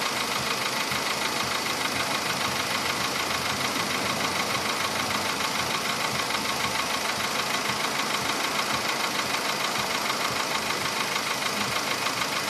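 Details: Stuck in a VW Polo Sedan engine at idle: a fast, even ticking knock, about three per second, over a steady idle hum. It appeared faintly at about 61–62 thousand km and has sharply worsened by 67 thousand km. Source not yet found.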